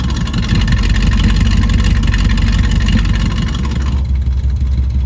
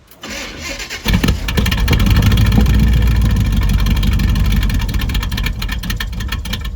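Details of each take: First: Chevelle V8 that sat for years, just restarted after fresh fuel, new spark plugs, water in the cooling system and a borrowed battery; exhaust cutout open. Deep loud lumpy rumble with steady pulsing exhaust beats; running pretty good. Normal running. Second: Chevelle V8 that sat for years, with fresh fuel and plugs over old gas in the tank, a borrowed battery and water coolant. It catches, runs rough and uneven for a few seconds, then sags and dies. Old gas is suspected. Starts then stumbles and stalls.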